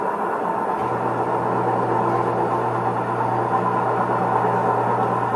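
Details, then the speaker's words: Maytag front-load washer spinning with a steady low growl, rumble and bark from a failing drum bearing, before repair. "Today, we're going to see what it sounds like for a front-load washing machine bearing be going out. So, let's go. We got kind of a growl going on. A growl and a bark."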